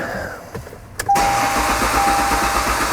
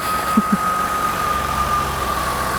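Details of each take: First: 1998 Ford Contour no-start, battery tested good at 13 V: even starter cranking at about three pulses a second but never fires; crank no start suspected from no fuel getting through. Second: 1998 Ford Contour, no-start on old stale fuel, now idles steady and even with no misses and a faint constant whine after fresh gas was added to about half a tank.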